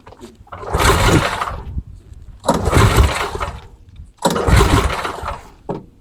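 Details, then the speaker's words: MTD Snowflight two-stage snowblower with 8 hp Tecumseh Snow-King engine and old fuel: three rasping recoil pulls after a shot of carb spray in the carburetor, each dying away with no firing; engine will not start. "Nothing. Nothing happens."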